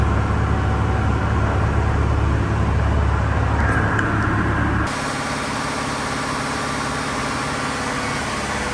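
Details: Diesel fire sprinkler pump on its weekly half-hour test, isolation valve closed: a deep, even diesel drone with a steady beat and no knocks or misses; normal running on test.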